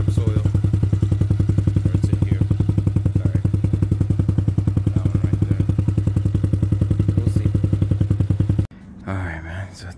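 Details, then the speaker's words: Trailmaster Challenger 300 go-kart side-by-side single-cylinder after carburetor replacement and mixture adjustment: even thump about 3.5 beats per second, steady until shut-off; idles smoothly on its own. "and now it's it's on by itself it's running on really smooth"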